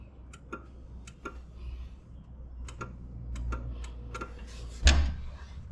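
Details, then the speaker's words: John Deere 750 tractor, sat a while: with key on and bad PTO/neutral safety switch wires touched together, irregular clicking heard but starter not engaging; jumpering the wires gives starter. "So, if I have the key on and I touch these together, I don't know if you can hear that something is clicking."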